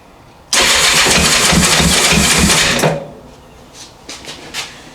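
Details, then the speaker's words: 1984 Honda CB700SC four-cylinder, cold first start after fixing a no-spark fault and a stuck carb float, switching from full to half choke: catches and revs roughly about two seconds, then stumbles to weak puffs; little smoke from carbs. "here we go little smoke out of the carbs it's trying we'll do half"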